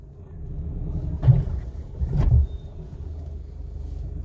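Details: Nissan Frontier automatic pickup with 70,000 km crossing a speed bump: two heavy dull thuds over road rumble from a broken front shock absorber. Control arm bushings are also being replaced.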